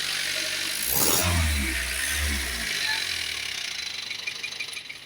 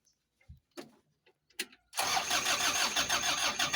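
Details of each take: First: Old Bison diesel after the fuse fault cutting power was fixed, started after a brief warm-up wait: brief crank, rough catch, then steady diesel clatter at idle; normal start and idle. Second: Diesel vehicle that died suddenly: starter grinds steadily about three turns a second, engine never catches. Mechanic suspects a dirty filter or a dirty check valve.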